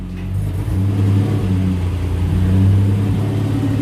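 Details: Nissan Patrol GQ with RB30 six, just resurrected after rewiring, another power steering pump, radiator and a fuel pump relay added: deep, steady drone that swells with throttle and holds evenly, no knocks or misses. Healthy.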